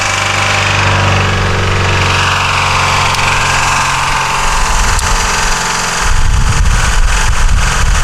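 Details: 1984 Honda VF500F Interceptor, spark plug wires corrected and carb float bowl screw tightened, on choke: steady, even run with slight rev rise near end, no knocks or misses; normal running, though fuel still leaks between the carbs afterward.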